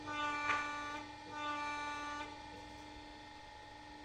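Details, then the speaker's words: Honda Accord 7 steering rack on test bench after repair of knock at distributor and bushing and of leak: steady even hum, rotates smoothly, holds pressure both directions, no knocks or leaks; normal steering rack operation. "сторону стуков Нет течи нет всё рейка готова к эксплуатации"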